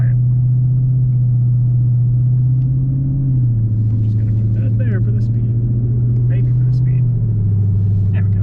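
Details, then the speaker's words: 2017 Ford Mustang GT Premium 5.0 Coyote V8 with new MBRP S7239 cat-back exhaust, driven windows up at about 25 to 60 mph: smooth, steady low cabin rumble dipping slightly with speed, no drone, quiet and normal. "all right so we did some heavy stuff we're gonna roll the windows up and just drive and see what it sounds like going through various speeds between 25 and even up to 50 and 60 to see what the drone is like so far it's been very quiet"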